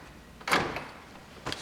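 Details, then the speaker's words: New door lock actuator for a 2001 Jeep Grand Cherokee, bench-tested while plugged into the connector with the key off: two quick clean thunks a second apart as it locks and unlocks, no buzzing or grinding; working normally. "I'm going to plug it in and make sure that it works get the connector plug it in which way does it go there now with the key off check it both ways"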